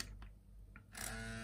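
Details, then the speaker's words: PS2 fat SCPH-50004 V10 disc drive after swapping in another LA6508 chip; on startup the laser sled stepper motor gives a harsh electrical grinding buzz, like electromagnets struggling, sometimes moving or spinning the disc, flex cable suspected. "so what ends up happening is that if i turn it off and move the laser back a bit and then i start up there's this grinding noise"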